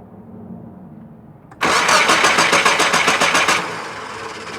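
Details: 2000 Nissan Frontier XE 2.4L: steady starter cranking at about three and a half beats a second for two seconds, then dies away without catching; crank, no start.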